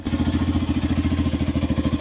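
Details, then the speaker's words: Yamaha FZ-S bike at about 9,955 km, before its 10,000 km service: fast, uneven, raspy idle that owner says sounds different from before and needs fixing at service; cause not confirmed. "অলপটো different আছে চাউণ্ডটো, আগতকৈ অলপ different. চাউণ্ডৰ quality যিটো আছে সেইটো অলপ change হ'ব। চাউণ্ডটো অলপ বেলেগ টাইপৰ বাজি আছে, সেইটো বনাব লাগিব।"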